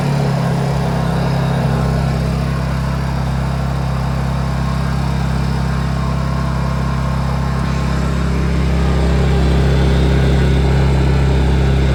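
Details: Brand-new Honda EU2200iTAN1 Companion 30A inverter generator on its first run after filling with 10W-30 oil and gas: a steady, even, smooth constant drone with no surging or rattles. It is running normally.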